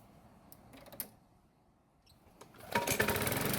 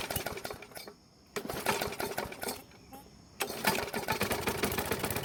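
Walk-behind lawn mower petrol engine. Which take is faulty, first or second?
second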